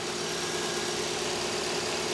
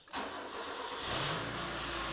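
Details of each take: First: Mazda 121 Demio on a long trip, before an oil change to thicker oil: light quick ticking over a quiet steady idle; top-end ticking, cause not yet identified. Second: Mazda 121 Demio just after an oil-change service: the starter catches quickly, then the engine settles into a smooth, even idle with no knocks or ticks; normal start and idle.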